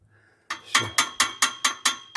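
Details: 2012 Volkswagen Tiguan (facelift) exhaust: sharp tinny metal clinks as the pipe is shaken by hand, the source of a knock heard while driving. The muffler bracket had broken off and was welded back.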